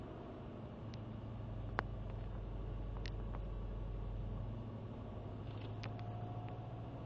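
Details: Subaru WRX cold start: quiet idle swells up for a few seconds then sags, about four and a half; recent problem of hunting idle rpm, throttle blipped to disturb it.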